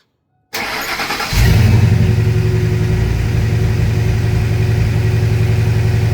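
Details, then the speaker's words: Supercharged Saleen S331 truck at idle after start: lumpy uneven idle with irregular pulses about four a second, engine shaking, exhaust popping misfires; owner suspects a faulty CHT sensor misreporting temperature and upsetting fueling, not confirmed. "So, you can't really see the engine in camera, but it shakes a little bit. And if you hear the exhaust, it does like popping, you know, misfires kind of in a sense."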